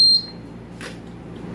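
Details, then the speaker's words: Electromax 9000 BTU air conditioner control board, repaired after power fault with burning smell, bench-tested with fan and sensors: one short sharp beep on pressing power, then faint hum; board powers on normally, later showing E6 fan error. "And guys, the fan is running. And the board is on."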